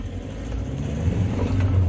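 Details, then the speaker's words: 2011 Skoda Roomster 1.6 TDI with a lack-of-power complaint, DPF and glow plug lights and multiple codes, on a test drive after clearing codes: the diesel pulls strongly with a smooth build under throttle and no hesitation; boost normal. "oh we do yeah boy let's get on a good long oh that's nice"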